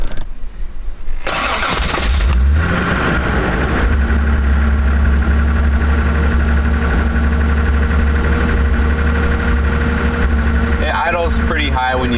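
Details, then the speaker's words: Toyota Celica Supra after head gasket, valve, water pump and alternator work, cold start: brief crank, catches and settles into a smooth, even, slightly raised cold idle that drops to about 800 rpm when warm; runs healthy. "it it comes down to like 800 after it gets warm but this thing this thing runs really really well"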